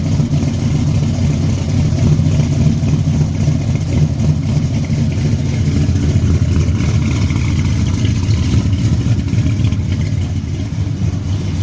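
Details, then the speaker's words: 1974 Chevrolet Caprice V8 at steady fast idle just after a cold start, exhaust heard: deep even burble with no skips; an earlier exhaust misfire is gone after valve adjustment, now running clean. "yeah y'all y'all hear that joker running good when when I first got to messing with it it had a misfire in it"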